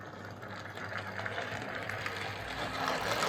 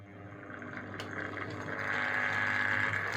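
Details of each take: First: Model railway locomotive on a Morley Vector 03 Crawler controller instead of a Hornby HM2000, whose PWM caused buzz: soft, even whir with light steady ticking on a slow pull-away. No grinding or buzz, running smoothly. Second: Hornby HM2000 PWM controller driving a model locomotive on a slow pull away: low steady buzz under a thin rising whine with grinding noise as the loco creeps off; PWM controller motor buzz and grinding.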